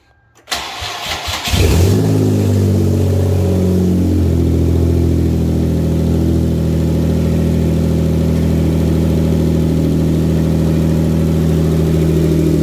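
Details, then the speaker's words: Hyundai Genesis 3.8L after an engine swap, started to check for oil, coolant and fuel leaks: it cranks, catches and settles into a very loud, raw, blatty idle with the exhaust gaskets and converter off; it is running rich with a fuel smell. "Let's go start it up again and we'll investigate anything leaks, oil, coolant, fuel. It's gonna be loud again."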